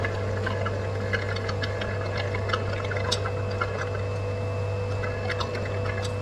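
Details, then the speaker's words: Twin-turbo 4.6 2-valve Crown Vic, oil scavenge pump running while the lines are loosened to drain the system: steady low pump hum with irregular gurgles and slurps, as the pump sucks air past the oil instead of pulling it uphill. "what's happening is it's just sucking air by the oil it's not actually sucking the oil uh uphill"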